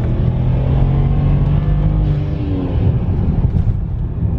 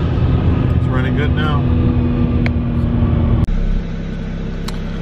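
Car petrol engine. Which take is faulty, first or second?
first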